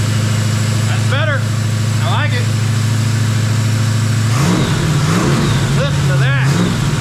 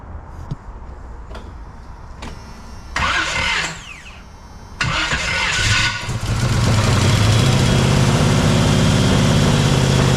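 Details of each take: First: Jeep XJ with swapped 350 V8, after valve adjustment fixed the dead cylinders: a steady, even idle that picks up cleanly on two quick throttle blips with no misses or stumbles. It runs on all cylinders. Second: Jeep XJ with swapped 350 V8, first startup, distributor still loose: it cranks, catches and settles into a lumpy, uneven idle. It runs on only a couple of cylinders; number one is not firing, while the cylinders with compression work.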